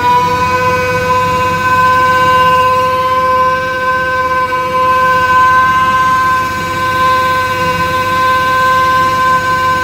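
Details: Mini hydrovac vacuum rig: 3.8 L V6 supercharger (likely M90 rotors) plumbed backwards, 15 hp Chinese motor at idle, thought to hit about 20; loud steady siren-like whine holding pitch; normal supercharger howl under vacuum load.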